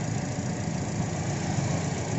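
Low idle rumble with a slightly lumpy, uneven beat, the kind of stumble a failing ignition coil pack gives through a misfire.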